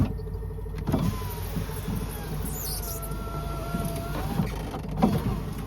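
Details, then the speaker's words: BMW power window: motor whines and drags, pitch sagging and wavering as it labours through the travel; still struggling though it went all the way up, and it also fails when actuated by scanner. "oh it's still struggling actually but it did go up all the way this"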